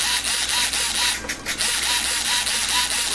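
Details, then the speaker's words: Rebuilt UMX 300 micro RC plane, elevator servo: rapid buzzy, rough gritty whirring in short regular bursts as it sweeps back and forth; glue or something got into the servo, owner must ensure it doesn't stick. "So I'm going to have to work with that and make sure it doesn't stick ever, but you can hear that noise."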